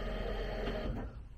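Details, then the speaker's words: Turbo Honda S2000 just out of winter storage, at key-on before cranking: firm, even fuel pump hum for about a second, then quieting as pressure builds; fuel pumps prime strongly, normal. "The fuel pumps sound pretty strong."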